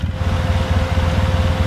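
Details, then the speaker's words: 2007 Polaris Sportsman 800 EFI quad idling, radiator cooling fan running steadily at full speed with no surging after replacing a corroded circuit breaker; earlier the fan started and stopped, overheating, dirty fan motor burned wiring; seems faster than on auxiliary switch. "there you can hear the fan running full speed it seems to run faster than uh when I run it under my auxiliary switch so I'm not wondering if I'm giving it enough power"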